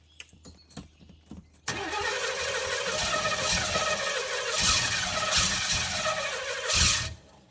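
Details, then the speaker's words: 1981 Pontiac LeMans wagon swapped to a Pontiac 400 V8, sat for years, now fed from the original tank of stale, bad gas: catches after a brief crank, runs unevenly with dips and surges, not on all cylinders, then dies about five seconds later. "we're running on not all cylinders that's a good sign though"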